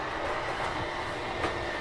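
Steady motor whir with a constant mid-pitched hum and a faint mechanical rumble as the slide draws in; sounds smooth and healthy.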